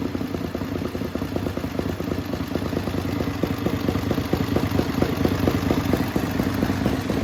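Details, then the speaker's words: Racing lawn mower twin-cylinder engine on methanol: loud sharp clatter with even steady firing beat, no knocks or misses, revved to about 9,400–9,500 rpm; healthy, strong-running. "like I said that thing is really loud when I was Reed up it was like about 94 9500 RPM"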